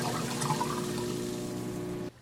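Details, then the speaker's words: Basement sink draining into sump pit; sump pump starts as the sink empties and sucks the dumped air, steady motor hum under a wet slurping gurgle for two seconds before cutting out. "the sump pump was sucking air and that's why you heard that"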